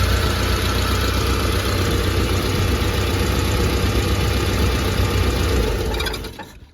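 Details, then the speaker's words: Mitsubishi Pajero 4G54 with Weber carburettor after timing chain repair and rocker adjustment: even, smooth idle with no rattle or clatter, then dies away at shutoff; no longer sounds like rocks in the engine; normal idle. "Doesn't sound like there's rocks in the engine anymore."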